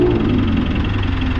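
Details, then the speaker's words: Mitsubishi Montero diesel with a reported noisy fan belt, after tightening and the pulley work: idles with a steady low rumble and no squeal; the noise was gone, with the alternator pulley found at fault. "sir parang nawala na"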